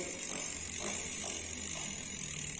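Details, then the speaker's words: Novatec D042SB rear hub, new on a customer's bike, freehub sticking: dry rhythmic internal scraping while pedalling, stopping at some positions; traced to a manufacturing defect. "Ó, pessoal, repara aí no barulho, ó. Barulho interno dentro do free"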